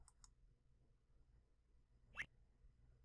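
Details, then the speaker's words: Sigma-7 servo mechanical analysis on the demo's z-axis, default settings, servo on: after the motor moves slightly forward and reverse, a quick rising chirp as all frequencies sweep through the system; clean sweep, no ringing, normal. "there's little chirp that's the sound of all of the frequencies going through the system and you finish it"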